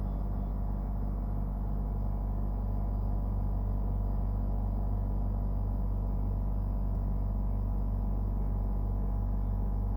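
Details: Brand-new Dometic Freshjet 3200 air conditioner at startup and running: loud, steady deep droning hum with pulsing throb; compressor far noisier than normal operation, cause unknown.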